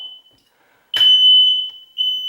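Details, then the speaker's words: Newly installed hard-wired smoke detectors, test button pressed: loud, piercing steady high tone with short breaks, alarms heard down the hall, then a chirp. Normal smoke alarm test; all alarms working. "Okay, so that means all of the smoke alarms in the house are fully working."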